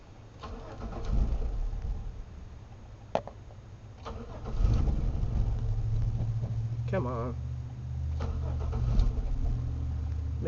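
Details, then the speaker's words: 1997 Chevy Malibu with about three gallons of fuel: starter whirs, engine catches and fires briefly, then drops out instead of idling; starts then stalls every attempt, theft light flashing, anti-theft system suspected. "I put about three gallons in and it's just not wanting to do anything and every time we try to start it that's what happens"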